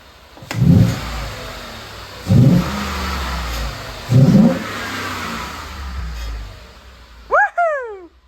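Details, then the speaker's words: Newly bought truck with a 5.0 V8: three sharp free-rev blips that climb and fall back cleanly to a deep idle with no misfire; a clamp rattle underneath was noted separately; healthy engine revving. "This sounds way better than my old truck."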